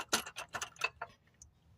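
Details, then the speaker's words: 2008 BMW 528xi, front end jacked up and wheel off: bright metallic clattering bursts, about three a second, as the broken front CV axle is shaken by hand. Its rubber boot is torn off, and the axle was causing the customer's clunking and rattling noise. "So, what the customer was hearing was the axle vibrating and everything."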